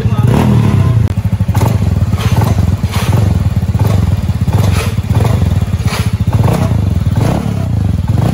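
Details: Honda Beat Deluxe bored up to 140 cc with full BRT parts, previously worn noisy liner, first test run after rebuild before TPS/ECU calibration: steady, even putt-putt idle with firm regular firing, no knock or rattle; healthy.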